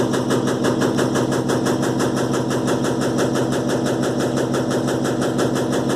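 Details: Electrolux LTE12 washing machine suspension test: a steady, fast rattle of about three knocks a second through the spin, pointing to loose or worn tub suspension. Rapid rattling during spin.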